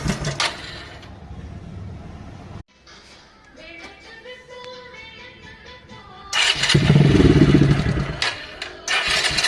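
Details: Motorcycle engine after timing chain replacement: loud, even idle with no timing chain rattle, after a short musical interlude; rattle had been from loosened timing chain and worn pads.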